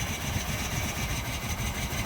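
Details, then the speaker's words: 2005 Jeep Liberty started with a jump box attached: throbby, uneven engine note with irregular low pulsing instead of a smooth beat; running rough but still able to move forward and backward. "I want to show you even though it was running rough she did was able to move forward and backward"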